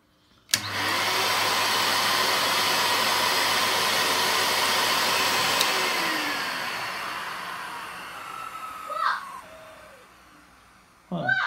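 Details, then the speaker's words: Toshiba VCP-700S bagless vacuum cleaner, possibly 1980s/90s, first test: motor starts at once to a steady, even rushing whine, holds about five seconds, then spins down cleanly; working fine. "in working yes it's working fine"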